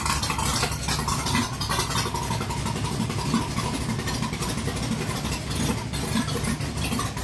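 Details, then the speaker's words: Barn-find engine first start after 20+ years stored, oil-primed and timing set, fuel pumped twice: catches and settles into a steady, even idle with a dull low rumble echoing in the garage; starts right up and idles normally. "How about that? I don't know if you could hear it. You could hear it because there's quite an echo in this garage, but it did. It ran. 20 plus years. Started right up and idled."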